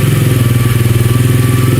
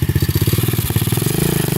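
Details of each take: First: SSR 125 pit bike after cleaning a blocked pilot jet (engine used to die with choke off): steady, even single-cylinder thump idling with choke off, no stumbling or hunting; normal idle, power restored. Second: SSR 125 pit bike after pilot jet clean, still being carb-tuned: throttle blips climb unevenly, popping and breaking up before a ragged idle; rider thinks it runs a little lean, cause unconfirmed.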